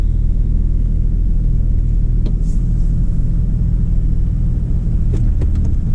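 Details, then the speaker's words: 2003 Chevy Trailblazer LTZ 4x4 4.2 I6, idling to warm up after new valve cover and intake gaskets, plugs and coils for a P0305 cylinder 5 misfire: deep, even rumble with no stumbles or skips, and it feels nice so far. Normal idle. "but i'll tell you one thing it feels nice so far"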